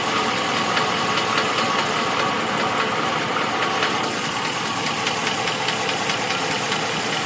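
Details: 2014 Ram 1500 at idle with a dry, uneven top-end tapping about twice a second; suspected valve train knock, not confirmed.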